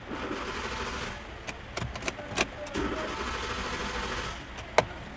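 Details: Hyundai i10 with ignition on and cranking: faint steady starter churning that never catches, a no-start traced to a failed engine control module (ECM), later repaired.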